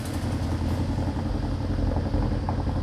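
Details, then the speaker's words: BMW Alpina B7 V8 idling, about 100 miles after earlier bad-fuel misfires were fixed: deep, lumpy, uneven stumbling idle, misfiring and shaking so hard the trunk shakes; check engine light and drivetrain malfunction warning, maximum output not available. "it is running very bad shaking and misfiring you can see here even the trunk is shaking on this guy"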